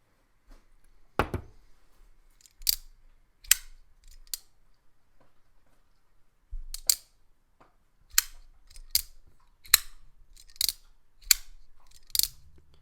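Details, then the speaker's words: Demko AD20.5 folding knife after disassembly and Skiff bearing upgrade, blade centered with no play: sharp separate clicks and snaps at the pivot with each opening; the knife functions fine, cause of the clicking unknown. "see if I can still hear the squeaky I don't hear it oh there it is what is that you hear that what is that hmm I mean the knife function is just fine I'm just wondering what that sound is it's a little weird huh"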